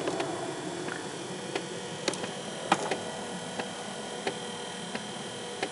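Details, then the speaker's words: Windshield wiper motor running after tightening and fastening the bolts, wipers previously not moving due to joint/axle issue: light regular ticks about every half second over a faint hum, no binding; linkage now moves freely. "now I am I am running that engine and also these parts in here they are moving in there"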